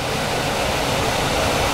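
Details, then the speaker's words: 26-year-old Trane furnace blower after replacing the whirring/buzzing motor with a new half-horsepower motor and capacitor and cleaning: steady, even air rush, quiet with no whirring, buzzing or hum. "it's just put back together with a new capacitor a new motor and a very quiet running motor fix for $100"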